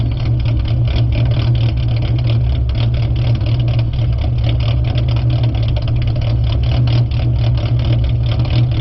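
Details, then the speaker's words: Ford Mustang 4.0 V6 with idle chop tune set to 725 rpm, in park: deep idle with a slight rhythmic lope fluctuating about 690-790 rpm; intended tuned lopey idle. "we're in park now the rpms i would say 690 to 790 is where it fluctuates it doesn't off fluctuate as much as when it was at seven i mean 675. here's how it sounds"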